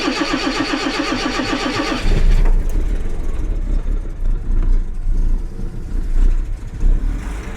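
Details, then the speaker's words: Jaguar XJC XJ6 with Stromberg 175 carburettors after adjusting the water chokes, cold morning start: about two seconds of even cranking, catches on the first try, uneven cold idle reaching about 700 rpm after 30 seconds; much improved, not perfect. "not too bad I wouldn't call it perfect yet but we're getting somewhere"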